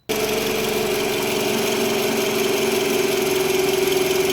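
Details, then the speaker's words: Toyota RAV4 third generation, 70,000 km, after car alarm install: steady hum rising with rpm, vanishes when alternator control connector unplugged; alternator had a failed diode bridge, replaced, noise gone. "если прислушаетесь появился в который увеличивается с оборотами у об кишку сдернул мой пропал"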